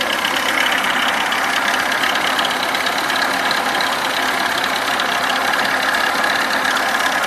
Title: ВАЗ 21011 стук в двигателе2